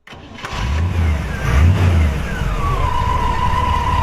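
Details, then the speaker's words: 1940 Ford Deluxe Woody Wagon with a mild cam: a brief crank, then it starts right up and settles into a smooth, even, low idle around 600-700 rpm; a normal start. "Starts right up, purrs like a kid, mild cam like we talked about. Probably only idle in about 600 or 700 RPMs."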